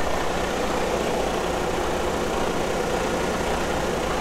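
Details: Diesel truck after fuel system priming with a homemade priming pump: smooth, even idle with deep steady rumble, no misses, stumbles or hunting; engine fed with fuel and idling cleanly.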